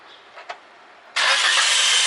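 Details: Toyota Corolla that clicked and wouldn't start in the morning, blamed on its four-year-old battery; after the replacement is fitted, a brief quiet, then the engine catches at once and runs steadily with no clicking or slow cranking: a healthy start.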